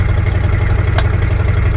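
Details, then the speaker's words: Once-abandoned Chevy C10 square body driving on a dirt road home after a 40-mile errand run, choke tube newly installed: deep, loud rumble with rapid puffing pulse in the cab, an exhaust leak, too loud, needs fixing. "This is too loud, so we gotta get this fixed."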